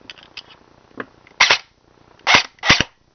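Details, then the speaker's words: Airsoft version 2 gearbox test after reassembly: three short, harsh raspy bursts as it cycles, rough and strained, with a burning smell; motor height misadjusted, sounded better after backing the motor off. "that doesn't sound right man that really doesn't sound right well sounds horrible smells like that so that's not good let me back this motor off a lot"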